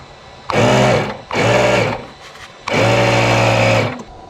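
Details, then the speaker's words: Honda Goldwing GL1500 (1986/1988), 32,656 miles, after 21 years in a barn: onboard air suspension compressor runs in short bursts of steady even buzzing hum, starting and stopping cleanly, PSI rising; compressor working normally again. "Got the air suspension to work again."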